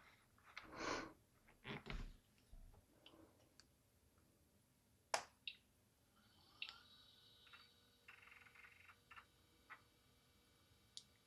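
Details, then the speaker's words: Apple PowerBook 145 or Compaq Armada 7790DMT retro laptop powering on after the startup chime: scattered light ticks and clicks, then a faint rising whine of the hard drive spinning up; normal startup seeking. "I can hear the hard drive. That's a good sign."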